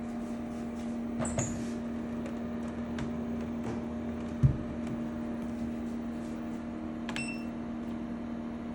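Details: EcoFlow WAVE portable air conditioner making an unpleasant, loud steady drone with a strong low hum while cooling, like an idling car engine; abnormal compressor noise.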